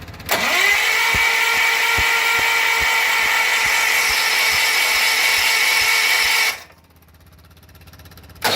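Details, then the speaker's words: John Deere 316 tractor cranking after an electric fuel pump was installed and the engine primed with fuel: starter whine with steady thumps about twice a second, no firing pop; cranks but won't start, spark suspected, points to be checked. "Oh problem is I'm not getting it to pop at all we're gonna see we still have a good spark"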